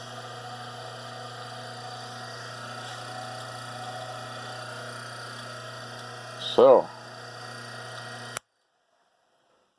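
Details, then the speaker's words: Rikon slow-speed bench grinder run with both grinding wheels removed: clean steady motor hum with no rumble, wobble or rattle; shafts checked true with a dial indicator, so the motor seems fine and the vibration likely comes from the wheels. "I did check the shafts with the dial indicator and they seem to run true so I don't know I'll start this up and see what I get seems to run pretty good"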